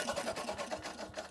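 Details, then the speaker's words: Old Pasquali rotary hoe with Lombardini LA 490 engine, long unused, oil smelling of petrol, pull-cranked: quick rhythmic chuffing about five pulses a second, no firing or run-up, hard to pull due to gear system; cranks but won't start. "I'm not sure if that sounds better, but that should have started. Well, it should have shown signs of starting with."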